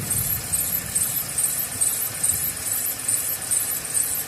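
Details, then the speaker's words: Mercedes-Benz ML350, a naturally aspirated non-turbo V6, at idle with a thin, high chirping squeal; a belt pulley starting to fail, possibly the tensioner, drive or idler pulley. "So that's the sound that it makes whenever one is going bad a little. So I've heard worse, but yeah, this is how you know more or less if one of your pulleys are going out."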